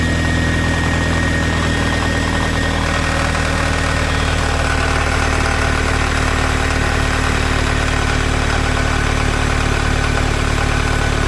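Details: Toyota MR2 3S-GE engine idling cold: light, uneven knock over a steady low hum, only when cold; owner suspects piston slap, unconfirmed.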